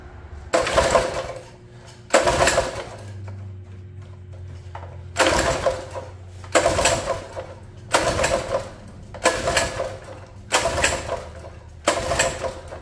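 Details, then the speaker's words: Mini bike small engine, repeated pull-start cranking bursts with no firing. Water found in the carburetor float bowl, so no start. "well judging by that when I took the float Bowl off I think we might have just been full of water"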